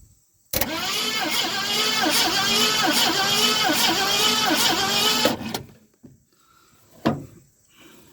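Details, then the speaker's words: 1970 Ford Mustang Mach 1, first start attempt: starter turns engine slowly and evenly, about three turns a second, for five seconds without catching; bad terminal suspected; slow crank, no start. "Boy, that turns awful slow though. Awful slow."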